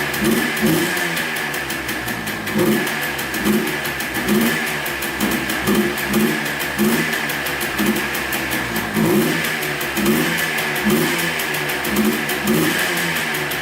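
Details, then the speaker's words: Yamaha Blaster two-stroke after transmission rebuild, air filter off: revs surge, sag and stumble every second or so, sounding starved for fuel; owner suspects the missing air filter. "Well, it runs pretty good. Not too bad. Sounds like it's starving for gas a little bit here."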